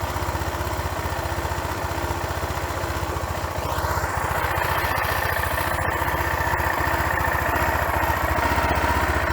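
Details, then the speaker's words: 25-year-old motorcycle with 6,075 km, carburetor recently cleaned after sitting, cold start: settles into steady, even idle about three pulses a second with no stumbles or misses; runs perfectly. "You can see and hear that the engine runs perfectly, and there's nothing wrong with the whole machine, as they say in German."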